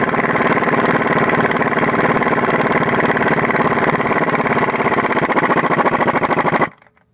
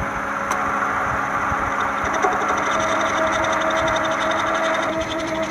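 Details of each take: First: 2000 Toyota Camry four-cylinder, harmonic balancer job (first noticed as a faint squeal with the AC on): an even, steady idle with a smooth regular pulse and no knocks or squeal, then a clean shut-off; engine running healthy. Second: 1996–2001 Toyota Camry 4-cylinder at idle: a steady hum with a faint rhythmic ticking wobble, about four a second, and engine shake from a failing harmonic balancer that needs replacement.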